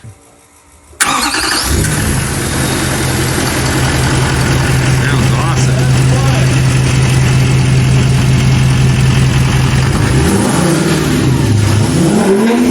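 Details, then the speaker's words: 1-ton dually turbo truck after new exhaust manifolds, up-pipes and down-pipes fixed a boost-robbing exhaust leak: cranks, catches into steady idle and smooth revs with no puffing or ticking; exhaust leak gone. "awesome sounds awesome oh that sounds a lot better doesn't it yes definitely no more exhaust leak"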